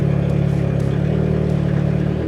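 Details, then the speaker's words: Audi A3 8P at idle, intake temperature around 12°, with intake manifold runner flaps stuck open: a deep, loud, lumpy idle with a fast throb and coarse booming intake note. "We do still have the issue of the intake manifold runner flaps being stuck open. As you can hear, it sounds absolutely horrendous."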